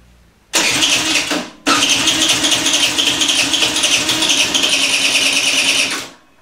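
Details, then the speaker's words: Peugeot Elyseo 50 two-stroke scooter at first run after fitting a new cylinder: catches, dies after a second, restarts and buzzes unevenly for about four seconds before cutting out; not yet running right. "also er läuft schon mal aber noch nicht ganz so wie zu meiner zufriedenheit ja das war jetzt der erste lauf"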